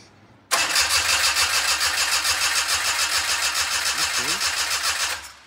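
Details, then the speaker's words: Daihatsu engine in a midget race car, crank after a long day of work: starter spins the engine at a steady, healthy rate for about four seconds without catching; scan shows zero RPM, no crank/cam sensor signal. "have zero RPM so it's not sensing crank cam whatever stuff okay but that's that starter sounds healthy which is great"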